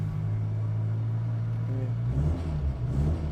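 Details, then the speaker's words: Car driving with loud, deep exhaust rumble swelling as the engine pulls; the exhaust cutout, opened by a choke cable, broke on the day of recording and is stuck open. "That's the noise from the diffuser The diffuser was opening on the choke cable Just on the day of recording, the thing broke"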